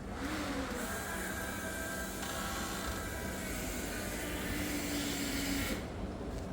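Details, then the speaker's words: Freshly rebuilt LS V8 in a Jeep (forged internals, higher compression, new cam) before first fire: steady electric whir and hiss for about six seconds then clean cut-off; normal fuel pump priming cycle. "That sounded prime. So, we're going to hold off right there."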